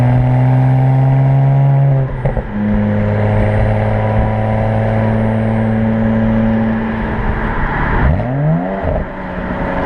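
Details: BMW 335i at wide-open throttle through the gears: the engine pulls hard, then stumbles and pops between shifts, misfiring and backfiring; fixed by replacing the ignition coils and spark plugs.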